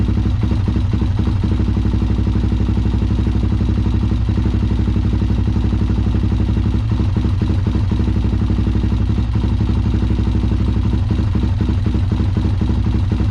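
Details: Honda 400EX ATV that sat for years and was ridden hard, being worked on (carburetor and fuel petcock bought): lumpy single-cylinder idle about four thumps a second with beats dropping out; steady misfire at idle, cause not pinned down.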